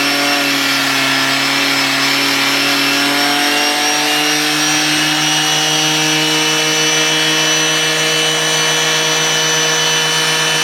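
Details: Washing machine motor driven by a drill: a loud, piercing whine at steady high speed, pitch creeping up slightly; the setup was so noisy and headache-inducing it was abandoned.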